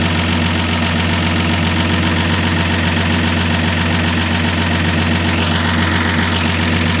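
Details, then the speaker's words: 1965 Dodge Dart with 225 cid Slant Six, cold start: low, steady idle with even pulse and no tapping or rattle; settles into smooth normal idle. "Well, as you can see, it's running. Sounds great."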